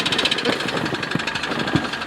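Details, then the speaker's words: Nissan Almera N16 1.8 petrol bought with a knocking engine, driven on the road, smoking heavily: sharp uneven hard knocking raps over rough busy running; internal engine knock, cause not yet pinned down. "Не знаю, вам, наверное, плохо слышно, но мотор у нас стучит жестко. Ой-ой-ой, ох, тарабанит классно."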